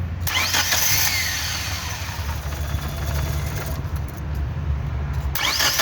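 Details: Starter grinding through long cranks with the engine barely catching between attempts; hard starting, with a bad fuel pump suspected but not confirmed.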